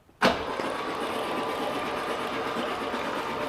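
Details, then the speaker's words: 1969 Opel GT, stored for 20 years, cranks with the spark plugs removed to blow debris out of the cylinders. A fast, even starter whir with no compression chuffs. "so we have uh all the crap out of the cylinders uh we've got the plug wires back on"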